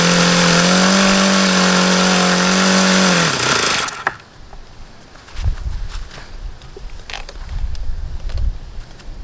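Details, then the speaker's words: HP VT 21 rotary-valve four-stroke model engine: steady high buzzing idle holding one pitch for about three seconds, then dies off. Idling too fast; owner suspects a still-rich low end, cause unconfirmed. "that was as low as I could ever think I've gotten it to idle see I could get it to go lower as long as I kept an eye on there"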